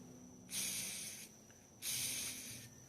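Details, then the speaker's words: Loose belt tensioner pulley supplied with a BMW E46 M3 oil filter housing, spun twice by hand: dry, gritty hissing rush fading as it coasts down; bearings sound worn, so it is to be replaced. "yeah those bearings don't sound very happy so uh I think I'm going to replace this"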